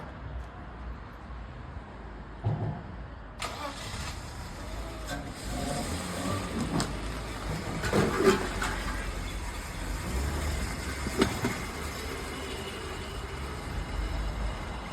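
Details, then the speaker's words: BMW E34 that sat 15 years outside, with the hose from the intake boot to the idle control valve disconnected. The engine catches and runs rough and uneven, surging and sagging, and can't idle on its own, kept alive only on throttle. Unstable idle from a vacuum leak. "So, the engine can't idle on its own, but with a bit of throttle, I managed to keep it alive enough to take it for a quick spin."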